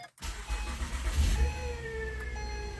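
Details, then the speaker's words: 2012 Acura TL technology package, 102,000 miles, just after start-up: thin windy turbine-like whine over the idle, dropping in pitch as revs settle, louder inside the car; worn alternator bearing, alternator to be replaced. "There is this windy noise or turbine noise that's coming from the engine."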